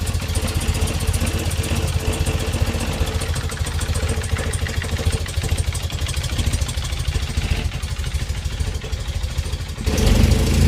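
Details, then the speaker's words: BMW R80 airhead, first start after unknown years unrun, cold on choke after wiring work: boxer twin ticks over with a steady low thump, no misses, knocks or smoke; healthy idle. "No smoke, just brilliant. Happy bunny."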